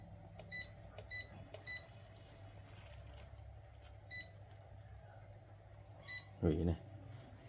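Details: Tiger JPX-A100 rice cooker being repaired after it was plugged into the wrong voltage: short, clear high beeps from about six touch-panel presses. The display and touch panel respond normally.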